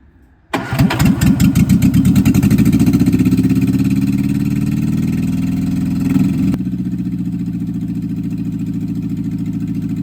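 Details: 1964 MG Midget Mk II engine, run after sitting about 30 years and with stuck carbs still to be rebuilt: short crank, then it catches and settles into a lumpy, uneven idle with a brief rev blip; about 38 psi oil pressure afterward.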